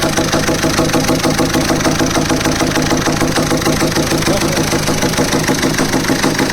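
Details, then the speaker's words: VW Polo/Vento diesel engine after a timing mistake, with a rapid, regular metallic valve-train clatter; two rocker-arm tappets on the first cylinder are broken. "അതിന്റെ tappet പൊട്ടി കിടക്കുകയാണ് അതിന്റെ sound അപ്പൊ രണ്ടെണ്ണം tappet പൊട്ടിയിട്ടുണ്ട്"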